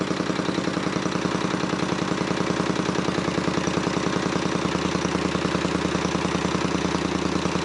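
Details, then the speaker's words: 1978 Honda CX500 on a charged battery: a lumpy, uneven idle with a loping beat and a missing pulse, running on only one cylinder; no spark on the other cylinder, where the plug boot does not seat. "i got the battery charged up a little bit now i got it hooked up to the bottle it's clearly only running on one cylinder"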